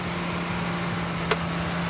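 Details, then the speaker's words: 2012 Ford Explorer, 3.5L V6, FWD, automatic, 112,000 original miles, after running about an hour. Steady, even idle with no misses, knocks or ticks, and it revs up nicely. Normal idle. "the motor sounds good I've had it running for just about an hour it idles smooth it revs up nice"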